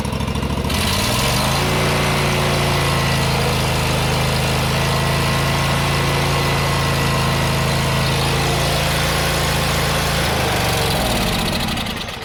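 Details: John Deere GT245 mower running rich and misfiring, test-run with the air cleaner removed: starts, holds a smooth steady drone with constant pitch and no misses, shuts down cleanly; runs well without the filter, pointing to too much fuel.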